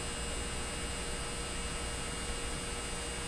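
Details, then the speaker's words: 1957 Chevy Model 561 car radio on a 12-volt bench supply during a low-volume repair; a steady, even buzzing hum with light hiss that no longer stalls on start-up, vibrating more strongly; the vibrator supply is running normally. "sounds different doesn't it you know it didn't stall on the way up this time sounds different to me feels like it's vibrating a lot more"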